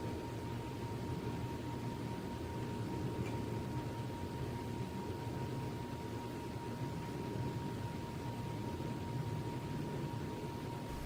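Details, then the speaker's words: Home Decorators Pompeo YG618-WH 52-inch outdoor ceiling fan on high speed, updraft/clockwise: steady thin high-pitched motor whine above soft air rush; whine goes away on medium speed. "I've turned it to a high speed right here and you're gonna hear a lot of wine from the motor"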